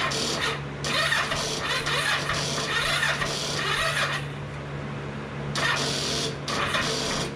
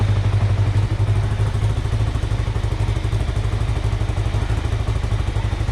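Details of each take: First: 2005 Kawasaki Ninja 500R that sat 10 years, carbs rebuilt, choke on, jump pack without a battery fitted: slow, uneven cranking in bursts about one turn per second, never catching; weak cranking from insufficient battery. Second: 2005 Kawasaki Ninja 500R revived after 10 years of sitting, carbs rebuilt, choke off, idle set near 1300: a low, even thump holds steady with a light buzz from the body panels; normal, healthy idle.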